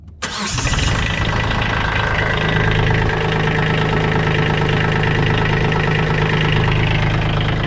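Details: Kubota B2601 small diesel tractor after an oil change, cranked with the fuel shutoff solenoid unplugged to build oil pressure and then reconnected: it catches almost at once and settles into a steady, even idle with its usual clatter; normal start.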